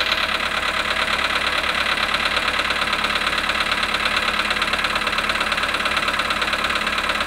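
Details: VW Polo sedan, 18,618 km, at -5.5°C after standing 18 hours: cold idle with a crisp, regular ticking knock about twice a second over the engine hum; engine knock, cause unknown.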